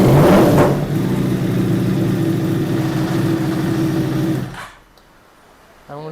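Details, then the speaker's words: Yamaha R1 after a new starter motor was fitted; it previously would not crank, or would not start once hot. Strong, even cranking for about four seconds with no clicking or dragging. Normal starter cranking. "uh swapped it in the bike cranks beautifully now"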